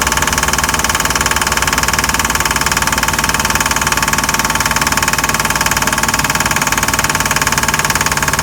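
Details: Mercruiser 5.7 marine engine under load pulling a water skier: a hard, even knock at almost four beats a second that does not let up; the engine was smooth at idle, knocking only under load.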